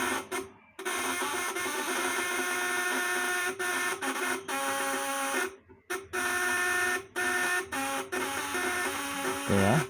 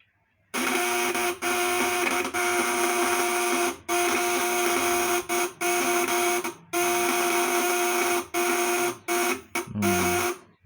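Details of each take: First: Fish-shocker inverter (setrum, 8 ons, 400 V AC) with 1000 W load on 12 V, platinum vibrator contacts; steady shrill buzz, high even whine, brief dropouts, contacts more high-pitched under load, working normally. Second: Fish-shocker inverter (setrum, 8 ons, 400 V AC) on 24 V, platinum vibrator contacts dirty and loosely set; harsh buzz cutting out and restarting in ragged bursts; contacts need frequent polishing.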